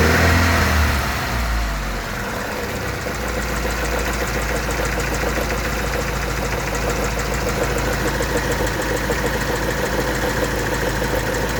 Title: engine strange noise (not valve )